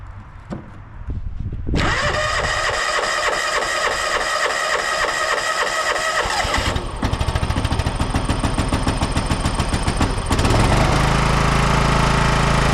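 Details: 1993 John Deere LX172 lawn tractor, 14hp Kawasaki FC420V engine, started on a jump pack at initial test run: quick rhythmic cranking for a few seconds, then the engine catches and settles into a steady, even run.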